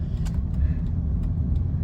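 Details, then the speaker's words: High-mileage Honda Pilot after front right (passenger) wheel bearing replacement, driving at about 40 mph: steady low road rumble with no hum or growl; previous bearing noise above 30–40 mph from dried-up grease is gone. "so right now it's really quiet once the right or passenger side well bearing was replaced"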